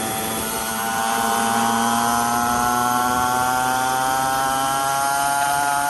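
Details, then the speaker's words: 49cc two-stroke dirt bike, newly installed replacement engine, fresh gas, being broken in gently: steady buzzing with a high, even note creeping up gently with throttle; runs clean and smooth. "Just breaking it in. We don't want to go too crazy. But we want to see what it's doing a little bit."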